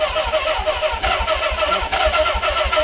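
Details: Suzuki GS550 barn-find motorcycle, off the road almost 20 years, carbs and old tank fuel suspected: steady rapid chug of the starter turning the engine over, no catch into running; cranks but will not fire.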